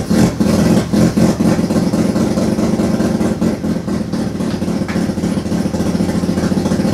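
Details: Turbo II FB RX7 rotary engine on its first real run, after leading/trailing coil checks; lumpy running with irregular surges and blips about three or four a second, untuned, barely holding an idle. Rough running.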